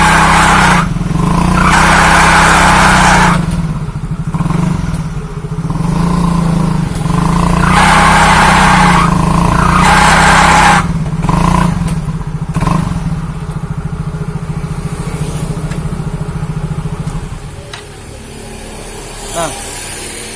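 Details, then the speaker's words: Older Yamaha Mio automatic scooter, weak on hills, squeals under heavy load or with a passenger: revving on the stand gives a harsh squealing, slipping sound from the CVT area on each blip. Cause unknown until the CVT is disassembled. "teman-teman sudah dengar suaranya nah ngericit atau seperti selip kayak gitu ya di bagian area cpt-nya ini"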